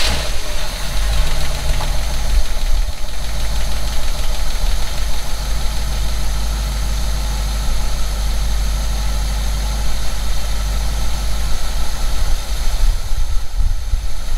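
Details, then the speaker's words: 1952 V8 that died while driving, left sitting almost a year, started on starter fluid: runs rough and uneven for seconds; fuel pump suspected, but cause likely a fuel filter. "Interesting. Well, it fired right up. Just doing that. It makes me wonder if the pump's bad."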